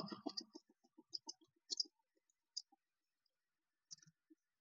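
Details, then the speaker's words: Ceiling fan that makes khachar-khachar kit-kit clicking noises while hanging and stops suddenly after running a while; sharp dry clicks, bunched then sparse and uneven, with no motor hum; ceiling fan bearing clicking. "ये लटकते हुए खचर खचर kit kit कुट कुट की आवाज करता रहता है और ऊपर एकदम से रुक जाता है।"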